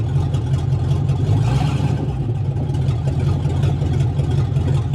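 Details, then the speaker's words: Vintage car idling with its exhaust disconnected at the manifold: a loud, raw low drone with a steady beat, all coming from the front rather than the exhaust side; owner must fix the exhaust before driving. "so as you can hear it's pretty loud the exhaust does only come out on that side but since the exhaust is not hooked up the exhaust manifold right now all the sound is coming from up"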